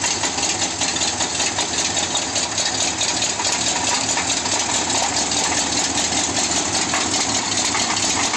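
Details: Demo derby car: sharp knocking at idle, two to three per second in step with the engine, sounded like rod knock but was loose flexplate-to-torque-converter bolts; stopped after tightening with Loctite; loose flexplate bolts.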